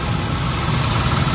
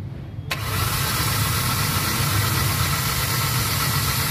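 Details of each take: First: Hyundai Accent petrol after fixing the cylinder 1 no-spark misfire (P0300/P0301/P0302): codes cleared, check-engine light off, engine warming up and idling smoothly and evenly with no vibration. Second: Hyundai Accent petrol: engine catches and settles into an uneven, lumpy idle with blinking check-engine light and strong vibration; misfire P0300/P0301/P0302, cylinder 1 ignition coil has weak or no spark even after new plug and coil.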